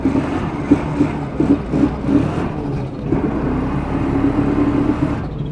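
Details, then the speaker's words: Procharged 1996 Mustang GT on a second-gear wide-open-throttle pull, coolant at 200, smoke from under the hood, and the owner suspects it is burning coolant. The engine note stutters and breaks up under load, then cleans up near the top; misfire under load. "Definitely breaking up in second for sure."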